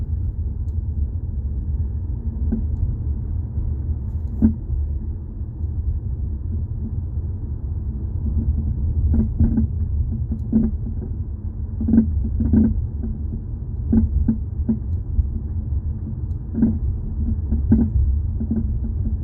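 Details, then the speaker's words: 2018 Jeep Compass driven over bumps, microphone held underneath near the floor: sharp clunks and rattles over low road rumble, likely from worn plastic front sway bar links, to be replaced. "Most likely to me, it's usually the sway bar links. That's what makes that noise when you're on the ground."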